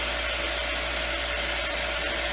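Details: Lodge water-system pump, reinstalled after its frozen impellers were freed, after bleeding air through the hose faucet: steady, even mid-pitched whir with no knocks or surging; running smoothly and building pressure normally, about another 40 psi.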